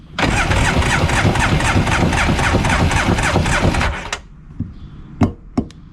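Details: 1994 Polaris SLT 750 jet ski with bad pistons and low compression (about 60-70, 120 and 100 psi across cylinders), cranked during a compression test. It cranks evenly at about four beats a second for nearly four seconds: sluggish cranking from a weak battery.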